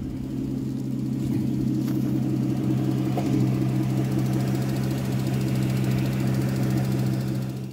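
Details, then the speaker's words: Aston Martin Vanquish engine warmed up (normal from cold): light, uneven tapping about three per second over a steady hum at twice engine speed; valve train ticking, possibly hydraulic lash adjusters, unconfirmed. "here's a clip now from the engine when it's warmed up and there is a characteristic ticking tapping sound"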